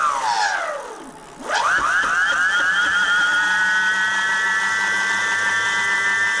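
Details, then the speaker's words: BBS02 e-bike mid-drive motor after 72V overvoltage damage, stalling on stall timeout: whine sweeps down, stops, climbs back to a steady rough-edged high tone; abnormal motor noise, cause unconfirmed. "oh it sounds like something's maybe a little bit off in there"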